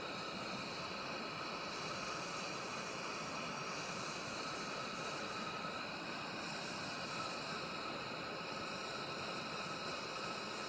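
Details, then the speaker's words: Coleman 502A camp stove on first use heating a pot of coffee water, burner at full flame: steady, even hissing roar with no sputter or surging, loud enough to mask any sound of the water heating; normal burner roar. "can't hear if the water's doing anything because the stove is kind of loud."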